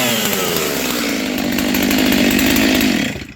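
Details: Vintage Stihl 036 chainsaw after rebuild with aftermarket Meteor piston and cylinder, new crank bearings and seals, new muffler, clutch and rear handle, rebuilt OEM carb: crisp, high two-stroke buzz holding steady, rising slightly, then shutting off cleanly; normal running.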